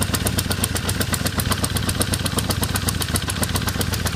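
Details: 1978 Honda CB550K motorcycle: crisp, even tick of about four per second through the idle that follows the revs; cause still undetermined.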